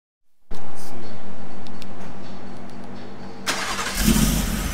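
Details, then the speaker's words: Shelby F150 V8 on a lift, started after fitting long-tube headers and a V-band clamp to fix a header exhaust leak: it starts promptly and settles into a smooth, steady idle with no ticking or puffing. The exhaust leak is fixed and it sounds healthy. "it appears that the exhaust leak is fixed we were just down there just checking it out making sure everything's good"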